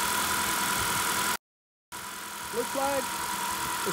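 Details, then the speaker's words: 2013-2017 Honda Accord at idle after serpentine belt replacement with A/C switched on: even, steady idle, no squeal or chirp, brief click as A/C compressor engages; belt working fine. "Tôi vừa bật điều hòa và bạn đã nghe thấy tiếng ' click' sound Thắt lưng hoạt động tốt, cảm ơn đã xem."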